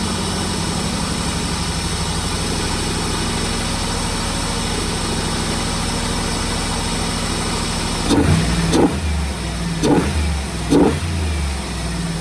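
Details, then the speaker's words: Gen 2 LT1 V8 in a 4th-gen F-body, after a throttle cable adjustment: throttle response is restored, but the idle still sits fast with quick blips. Idle is too high; the owner plans to check for vacuum leaks. "Sounds like a success. I got the uh throttle response I wanted back. Still revving high, so I'll play with it."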